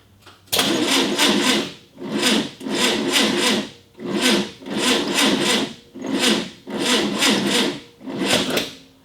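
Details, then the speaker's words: 1965 VW Beetle, first start attempt in years on a 6-volt battery reading just over 6 V: slow, dragging crank in repeated bursts with no firing; weak battery suspected. "The battery's not having it."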